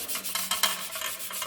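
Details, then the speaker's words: 1952 Columbia 3 Star 26-inch boys' bike frame, rust being hand-rubbed off the paint: quick scratchy strokes with a dry gritty rasp from remaining rust, rubbed until smooth without removing paint, before clearing with lacquer. "You don't want to, rub so hard that you take the paint off. And you kind of listen a bit, you kind of hear that grit."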